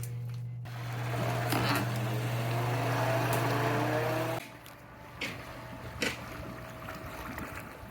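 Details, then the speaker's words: Pool pump running steadily after filters were cleaned with filter socks added, lid on and air release valve closed, while clearing a green pool; even water rush with no rattle or surging, strong flow, healthy pump. "So we have really good flow here. So that's what you want."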